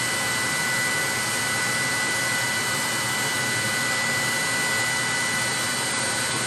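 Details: 30,000 BTU/hr multi-fuel fuel-fired personal cab heater for a 1973 M35A2 deuce and a half, after switching from run to off: blower pushes mildly warm air until it shuts off, nozzle then about 114 degrees; smooth steady fan rush, faint constant tone, no combustion roar; normal cooldown.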